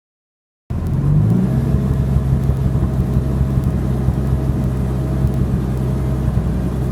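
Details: BMW E46 M3 at low rpm after full warm-up (oil temp near 200°F): low uneven engine note with the beat stumbling intermittently; misfire/knock with lack of power, fine when cold, seemed to begin after changing coils, plugs, injectors, O2 sensors and catback; compression fine.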